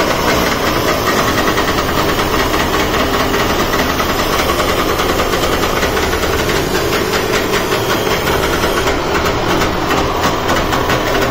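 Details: Trabant 601 two-stroke just after a carburetor replacement, started on choke with fuel on reserve: busy, raspy buzz held steady under throttle with no stumbling. It runs properly, though a fuel leak was noticed.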